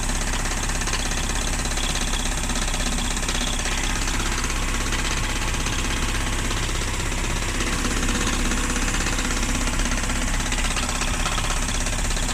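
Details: 1994 Mazda Miata at idle: uneven knocking at roughly 80 per minute over a steady idle; rod knock suspected but not confirmed.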